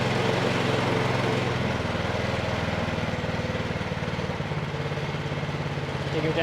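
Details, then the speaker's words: Troy-Bilt 2410 snow blower engine that would not start, started on choke and throttled down to idle: small single cylinder settles to a steady, even beat with no knocking or hunting; running very good. "Okay, so the engine is running very good."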